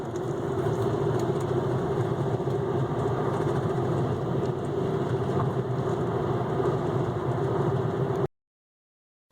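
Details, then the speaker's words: 1995 Volvo 850: low, rhythmic whomp under road noise that speeds up with the car, from a worn front right wheel bearing noticed over about 5,000 miles; the hub bearing was replaced. "as you're going highway speeds it's a real fast rhythmatic uh low pitch sound normally and when it gets really bad you can actually feel it grinding through the steering wheel"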